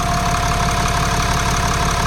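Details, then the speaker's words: 2024 Ram 2500 6.7L Cummins diesel at idle, after oil and filter change: steady clatter with a faint regular light tick that comes and goes; cause unclear, someone suggested air in the oil. "Yeah, that tick. I can hear it more from the"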